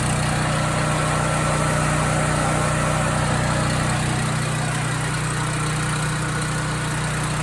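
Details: Husky portable generator that runs about 5 minutes, then shuts off; cleaning the idle mixture jet didn't help, and the carburetor is to be cleaned next. A steady low drone with a slight rise and fall in speed and no settled governor note: the engine is hunting, cause unconfirmed.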